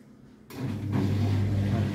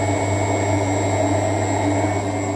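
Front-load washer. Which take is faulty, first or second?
first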